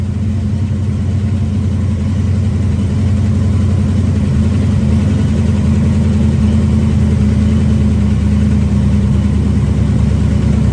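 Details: 1973 Dodge Dart Swinger V8 running on open headers after engine and transmission reinstall, timing advanced, not yet dialed in; loud deep even burble with revving and steady lope, no knocks or misses, running healthy again.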